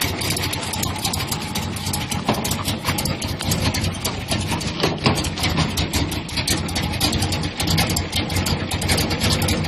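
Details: Square-body truck with a rough idle: choppy, uneven idle with irregular stumbles and misses under a steady rumble. Cause unclear.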